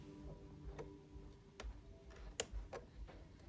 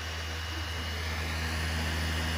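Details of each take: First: PlayStation 4 with updated software and clean disc: faint irregular ticks about every half second over a low hum as the drive repeatedly fails to read the disc, giving unrecognized disc error. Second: PlayStation 4 that would not read games, after cleaning and fix; quiet, smooth whir building steadily without hesitation or clicking: normal disc reading spin-up.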